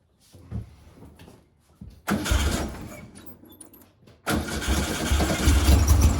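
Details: 1956 VW Bug flat-four with twin replacement 40mm IDF/HPMX carbs, after working on the fuel-dumping carb: cranks, catches twice, settles into fuller steadier chatter on all four cylinders; best it has run lately, linkage and carbs still unsynced and out of adjustment.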